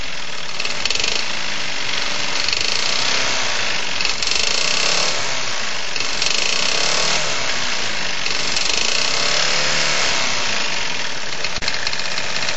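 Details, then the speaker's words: Champion lawn mower with a Tecumseh Advantage 35 (3.5 hp), reportedly never had an oil change: heavy uneven knocking at about three per second, a deep clatter suggesting a worn bottom end; suspected rod knock, not confirmed. "powered by a techy advantage or Tey Advantage 35 but 3.5 horsepower and um it's knocking quite badly"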